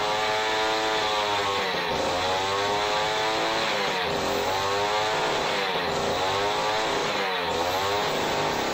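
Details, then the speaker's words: Jiffy Model 30 two-stroke ice auger, unused for years, last fueled with ethanol gas, now on premixed fuel after choke and prime: high buzzy note holding with small speed swings, running on the carburetor. "well I don't know what you guys but I can pretty much guarantee that was running off the carburetor"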